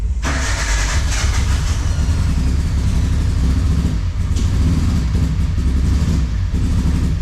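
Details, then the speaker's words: Carbureted car with distributor and 4-tooth trigger, pushed in, first start with fuel smell: catches into lumpy uneven idle chugging like a small mower; rough running, cause not confirmed. "Oh yeah, have a listen to that. Sounds like my old Briggs and Stratton lawnmower that I had."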